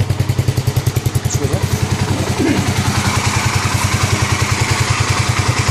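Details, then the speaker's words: 2009 Kawasaki KLX250S first start-up after 300 big bore kit and new gaskets, idle set up from about 1000 rpm toward spec, oil checked in window: crisp, regular single-cylinder thump, steady and even; normal healthy idle. "that's only a thousand now a little bit more that's good what's the oil like in the window uh all right good that's how it sounds good"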